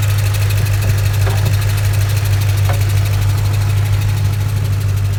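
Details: 2006 Ford Mustang GT V8 at idle: deep hum with a fast, light ticking that speeds up with rpm, seemingly from the driver-side cylinder head; owner suspects valve springs or lifters, unconfirmed.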